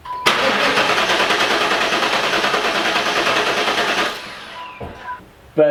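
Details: LT1 V8 in a 4th-gen Pontiac Trans Am with resurfaced heads, compression test for misfire and stalling: even, steady four-second starter cranking with no stumble; cylinder reads about 175–180, normal compression.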